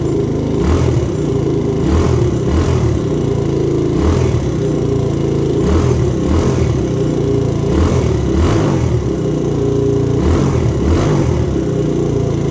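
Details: 2000 Honda XR100 after BBR 120 big bore kit rebuild, old oily exhaust: small single runs evenly and picks up cleanly on throttle blips, no knocks or rattles; smoking, suspected from oil in the pipe.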